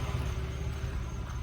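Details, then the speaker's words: 1990 Chevrolet Lumina Euro engine at very hot idle, over 20 psi oil pressure after cleaning the oil pressure switch; smooth, even low hum with no knocks, ticks or misses, healthy engine. "again nothing alarming here over 20 pounds of oil pressure that very hot idle"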